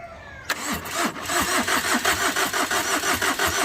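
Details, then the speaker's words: Overheated Tata Vista, radiator hose knocked off in an underside impact: steady rhythmic cranking about three compression strokes a second never fires after four-five full cranks; gas from the engine pours out as smoke. "लगभग चार-पांच prank पूरे पूरे हो चुके हैं इसके बावजूद भी गाड़ी स्टार्ट नहीं हो रही है"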